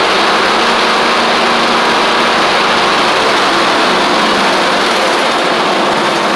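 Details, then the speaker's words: Troy-Bilt Horse XP riding mower with a new replacement engine, driving and cutting after a little trouble cranking. Steady, even single-cylinder drone at working speed with the blades engaged and no misses or knocks; runs healthy. "We've got a running, driving, and cutting mower with a new replacement engine on it."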